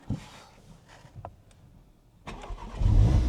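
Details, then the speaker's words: 2017 MK3 Audi TTS, 40,000 miles, crash-damaged Cat S car with many warning lights, coolant level uncertain: short crank, then it catches straight away into a strong, even rumble with a little dump-valve sound; a clean start. "Straight up. Lovely. That sounds nice as well."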